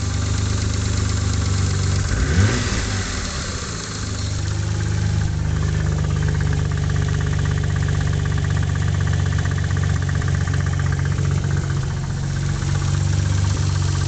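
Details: Mitsubishi 3000GT V6 at idle: low rumbly idle with a dull knock about four a second and an early rev blip; owner suspects a spun bearing, unconfirmed; bottom-end knock at idle.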